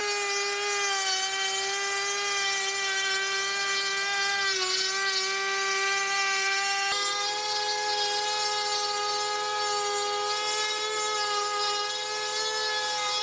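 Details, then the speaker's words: Makita 40V 15L dry dust extractor (VC004G) on 3/4 power: loud, high motor whine with a wavering, chopping helicopter-like pitch; it sounds like the dust bag is full again and it is losing suction. "It sounds like it's full again, as well as sort of losing suction. It gets a sort of helicopter sort of sound."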